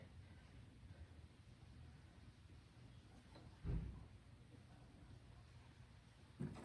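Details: Old Snapper two-stroke snow blower, first start after storage with fresh oil-gas mix, before repair; quiet steady low chug with no misses or hunting, two handling knocks, running pretty good except it's dumping gas from a leak: normal running.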